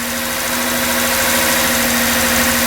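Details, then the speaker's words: 2007 Lexus IS 350 petrol engine, just started after a carbon fiber air intake install and battery reset: a steady, even idle held a little high with a constant mid-pitch drone and no knocks; normal idle relearn. "It's at a high idle right now since we just started it up after resetting the battery."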